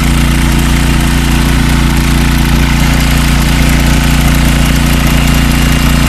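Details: Troy-Bilt 5550-watt generator, pull-started after repairs: loud, steady engine drone at constant speed with an even low throb and no misses or surging; running normally.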